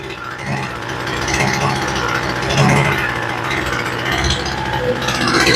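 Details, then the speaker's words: Homelite two-stroke weed eater that sat a very long time, with a replacement carburetor fitted, running at half choke: the buzz sputters and surges unevenly; the mixture screws were found backed all the way out. "She's been sitting around a really long time. And when I checked these screws, they were all the way adjusted out. And you'll get them like that sometimes."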